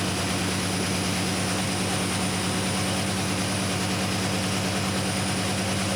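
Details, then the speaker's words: 1972 Chevrolet C10 carbureted V8 at first startup after installing a Carb Cheater with carb spacer, O2 sensor and vacuum hose: constant airy hiss over the idle. Owner suspects a serious vacuum leak; AFR reads 10, rich. "Know what that was, but it sounded like it had a pretty serious vacuum leak."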